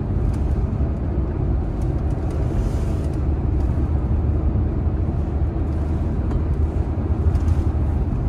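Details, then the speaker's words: Tata Nexon after front wheel bearing replacement, roughly 500–700 km later: steady road rumble during zigzag sharp turns at speed in neutral, no speed- or turn-dependent hum as before; normal wheel bearing. "तो आप देख सकते हैं कोई भी आवाज नहीं थी पहले जैसे ही हम शार्प टर्न ले रहे थे आवाज बढ़ जाती थी"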